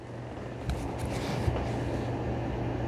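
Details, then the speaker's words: ECOVACS DEEBOT X2 Omni dock drying the mop pads after cleaning; steady, fairly quiet low fan hum with even airflow hiss, no knocks or rattles; normal drying fan operation. "Okay, so it has kicked on the dryer. It's drying the mop pads."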